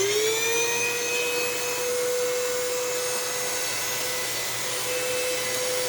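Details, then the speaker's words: Eureka Ultima bagless upright vacuum, secondhand: steady high motor whine rising to speed with a rough gritty hiss, like sand in the motor; brush roll seized and not spinning, levers failed, burning smell. "oh that sounds bad oh and i hear crunchies almost like there's sand in the motor"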